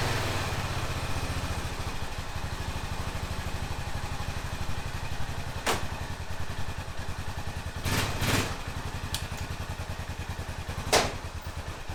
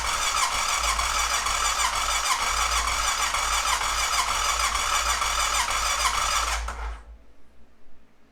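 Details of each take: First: 2005 Honda TRX650 Rincon, 650cc single-cylinder four-stroke, pulling away on a test ride after a no-run condition: steady, even thump with a few louder bangs, no misfire; runs well, though the carburetor may need slight fine-tuning adjustment. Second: 2005 Honda TRX650 Rincon, 650cc single-cylinder carbureted four-stroke, restart on half choke after it ran about 30 seconds and died: steady starter chatter, about three turns a second for nearly seven seconds, with no firing. Fuel starvation.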